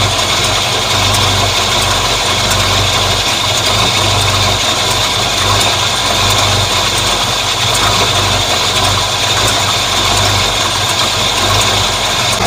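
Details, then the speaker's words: 1950 Ford F1 with a flathead V8 8BA and headers, after a blown header gasket was replaced to cure an exhaust leak. Steady, even, quiet idle with no puffing, ticking or backfire on shifts. Exhaust sounds sealed; normal idle. "it seems very quiet here in the cab which is nice I'm not getting the normal backfire that I get through the like when I shift it usually kind of Pops a little bit"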